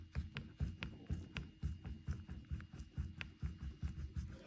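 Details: VW T5/T6 DSG driveshaft, removed original part, rocked by hand: dull loose clunks about twice a second from worn inner CV joint; caused slack felt when lifting off accelerator after long trips towing a trailer.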